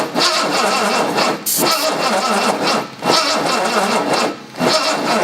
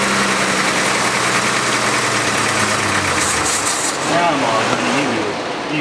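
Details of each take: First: 1970 Jaguar E-type coupe after sitting about 4.5 years: repeated laboured cranking bursts with short pauses, and the engine never catches. The distributor's mechanical advance springs are not working. Slow cranking because the battery is getting low. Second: 1970 Jaguar E-type coupe after sitting about four and a half years, in neutral with clutch pressed to quiet a driveshaft noise: engine runs evenly, dips briefly midway, then settles to a clean idle; good oil pressure, sounds healthy.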